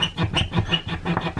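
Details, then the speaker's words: Polymer 80 9mm pistol slide recoil spring being worked while being lubricated with spray; high, thin squeak about three times a second from dry coils rubbing metal, dry recoil spring squeak. "you can actually just hear it squeaking right there hear that and then when that gets into the metal yeah"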